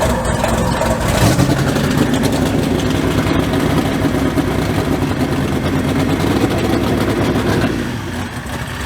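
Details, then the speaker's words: Mud bog truck V8 started after sitting since January. After cranking it catches and runs loud and lumpy with an uneven beat and missing pulses; the spark plugs are fouled out and need replacing. "Spark plugs are fouled out. Like I said, it needs new ones."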